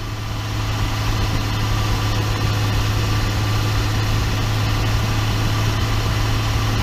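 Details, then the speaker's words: 2012 RAM 2500 6.7 diesel at 110,000 miles driving after swapping in a rebuilt G56 manual transmission: deep even drone, no gear whine or clunk; noticeably quieter than the noisy gearbox that was removed. "I will say it's definitely quieter it was the one that I pulled out you could hear you can hear inside of the Walmart it's just it was louder so it's definitely quieter now"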